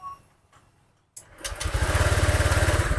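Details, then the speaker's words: Honda Vario 125 injected scooter after valve clearance adjustment, cold start: fires after short crank, settles into quick even raised idle that then drops, idle air valve working; normal cold-start fast idle, no valve clatter. "Nah kalau motor injeksi bekerja dengan benar seperti ini ketika pertama dinyalakan dia gasnya tinggi dulu baru turun"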